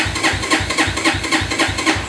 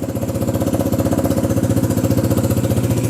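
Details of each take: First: XR150 clone motorcycle, electric start: starter pulses slowly about four a second with no firing; battery very weak, decompression lever needed to start; weak battery, slow cranking. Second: XR150 clone motorcycle after carb repair and choke/enricher cable fitted, battery briefly charged: starts right up, even steady single-cylinder idle about four beats a second, no misses; runs really well, normal idle.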